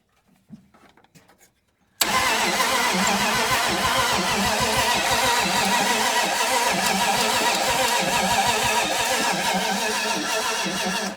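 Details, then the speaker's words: 1980 Dodge Power Wagon, sat 20 years, carbureted with gas poured in the bowl: it cranks steadily for about nine seconds with even compression beats but won't start. Owner suspects unpumped lifters or heavy blow-by from stuck rings. "Well, we ain't getting nothing happening now. Well, she got a lot of blow by. Them rings ain't popped out yet."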